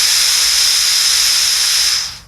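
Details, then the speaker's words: Camping gas cooker, burner close to the mic with gas flowing unlit. A steady hollow hiss with no flame roar, cutting off after two seconds. The hiss shows it is not lit; once lit it changes to a blowtorch-like sound. "you can hear a audible difference between a lit flame and just gas coming out so we're going to bring the camera close so that you can hear just gas coming out on its own and this will indicate to you that it's not lit"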